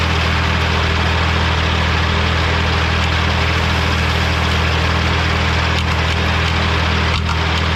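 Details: Morra F25-6 disc mower on a tractor, test run after repair (it had a pod bearing failure the year before and is down again). Loud, steady, even low drone from the spinning discs with no clatter or metal striking; the mower runs clean.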